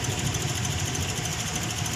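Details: Toyota Vios petrol engine idling unevenly, its low thrum lurching and pulsing instead of running smooth; engine shaking, rough idle.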